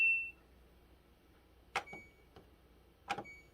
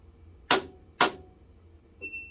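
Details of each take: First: LG WM2016CW washer after replacing door switch and lock assembly (previously repeated clicking and dE error): short beep then two clean clicks as the door latch engages; lock now working normally. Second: LG WM2016CW front-load washer when starting a wash cycle: two sharp clicks half a second apart then a short beep, door lock failing to engage, followed by dE error; fixed by replacing door switch and lock assembly.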